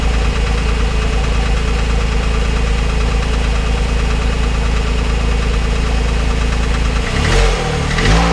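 At idle a dull knock repeats roughly ninety times a minute under the engine's hum, somewhat uneven; there is a knock, cause unknown.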